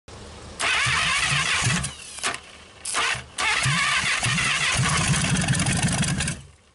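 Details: 1956 Packard 374 V8, formerly stuck, first start in years: a few short bursts of cranking with gaps, then it catches and runs about three seconds before cutting out; engine cranking and starting.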